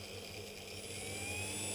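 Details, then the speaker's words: Accurascale Class 31 model diesel locomotive, new, at full speed on test: a thin, steady, high-pitched whir like a helicopter, running far faster than scale speed; fan running too fast. "that's full speed oh my word yeah that is way too quick look at that that's insane that can't be scale speed it's like honest you can hear it sounds like a helicopter"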